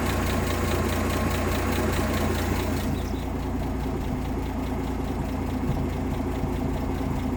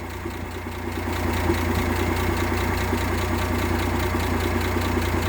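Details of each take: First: 1958 AMC Rambler Super with a Weber carb; idle being turned down with the idle screw. The low idle goes lumpy and uneven and bounces around more the lower it is set. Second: 1958 AMC Rambler Super inline engine with Weber carb and new distributor cap: smooth, even, steady idle firing rhythm with no stumble or skip; earlier misfire gone, old original cap blamed.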